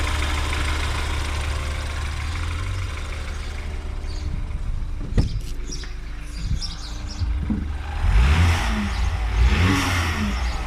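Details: BMW N20 cold start after new oil pump and timing; cold idle with steady low buzz over engine note plus handling knocks, owner suspects oil pump or balance shaft, unconfirmed.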